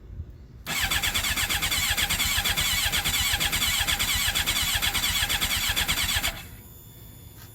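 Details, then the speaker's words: GSXR with a 600-to-750 engine swap, first start attempt after only clicking last time: the starter spins the engine with rapid, even chugging for about six seconds but it never catches; it cranks but won't start. "No start. It's way better than the click from last time though, so let's try one more time."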